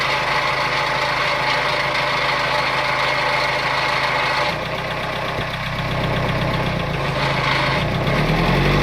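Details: Renault Kangoo I 1.9 dCi diesel idling with a hard, rhythmic knock about four times a second over the clatter; abnormal engine noise, with black smoke on acceleration also reported; cause not pinned down.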